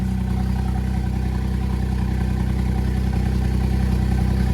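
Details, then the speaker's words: 660 cc three-cylinder turbo engine, first start after an N2 ECU, upgraded turbo and injector install; steady low burble at idle with even pulses and no misses or knocks, all three cylinders firing properly. "oh that exhaust sounds good he's just stupid that doesn't sound like a a three cylinder 660 cc engine seems to be running everything's good"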